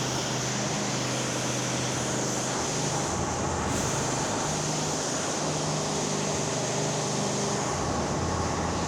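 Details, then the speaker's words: Ariens 926LE snow blower with Tecumseh Snow King engine, after a tune-up and carb clean with maximum speed set to about 3500 rpm, started on the first pull: a steady, even drone with no misses, surges or knocks, running smoothly. "so there we go started first pull it should start that well for the customer every time"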